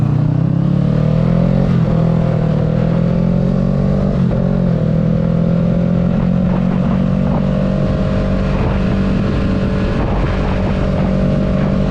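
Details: 2022 Kawasaki Ninja 650 ridden with the windscreen removed. Smooth engine drone rises evenly with speed, with no buzzing or rattle from the fairing. This confirms the windscreen caused the vibration: normal running, no fairing rattle.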